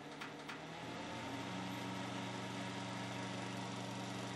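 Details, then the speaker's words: 1970s Hoover Knapp-Monarch automatic fin electric heater, fan on low: steady loud hum and whir with no pitch change; fan louder than expected on low. "so a is still pretty loud for the fan at least that's on low to"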